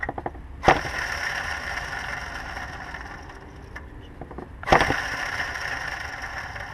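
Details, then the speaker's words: 2007 Dodge Durango, engine off, lower serpentine-belt idler pulley spun by hand: rotates freely but gives a gritty rough rumble fading as it slows, while the identical upper pulley is quieter; worn idler bearing, replaced. "i'm not sure if i like the sound of that that pulley we just spun down below it's a little bit noisy"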